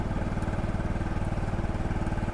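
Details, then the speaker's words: CFMoto Fashion 250cc scooter after a valve job, during its first ride on a hot day with the cooling fan working: steady, even, low pulsing idle with no knock heard. Engine sounds smoother after run time. "now that i've been riding it the engine actually sounds a little bit better it sounds smoother"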